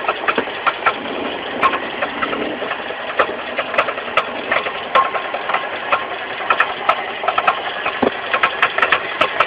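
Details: Mitsubishi 4G15 carburetted engine idling with irregular light knocks, roughly one to two a second, from the crankshaft pulley area: a loose crankshaft pulley, fixed by tightening it rather than replacing it.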